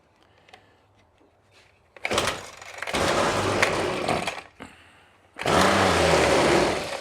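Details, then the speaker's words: Trash-picked Ryobi 25cc two-stroke string trimmer, first run: two short bursts of high raspy revving that die as throttle eases; runs very lean and won't keep running off throttle, carburetor suspected. "how it runs is incredibly lean foreign yeah it won't even try unless I'm on the throttle"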